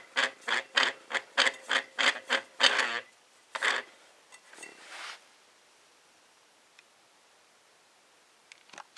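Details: Model D (Type D) siren with housing removed, rotor spun up: short rasping, gritty bursts from badly worn rotor bearings; otherwise runs almost fine.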